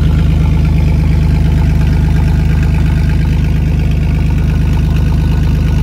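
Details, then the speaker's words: 1999 Chevy S10, 4.3L V6 automatic, idling after the rear catalytic converter (of two) was sawed off by thieves: deep, loud, even muscle-car-like rumble with steady chesty pulses from the open exhaust. "how can you see a sound all right sounds like a muscle car"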